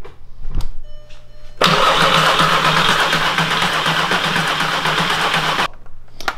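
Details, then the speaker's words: 3.6L VR6 swapped into a MK4 Jetta GLI anniversary edition, first start attempt after wiring the alternator charging harness: four seconds of steady starter cranking, engine spins but never catches; no fuel delivery. "we got no fuel yeah we don't have fuel okay well Jordan that was the first attempt it cranks over yep feeling good"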